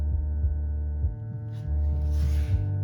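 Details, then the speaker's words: Lanzar 100 car amplifier (50x2 W, about 1990), protect LED faintly lit, on the bench before the dyno: steady low mains-type hum with a slow uneven throb through the speaker; the amp then went into protect, later traced to a bad WAGO connection on the speaker leads. "can you hear that has a bit of a hum coming out of this thing I don't think this this amps long for this world"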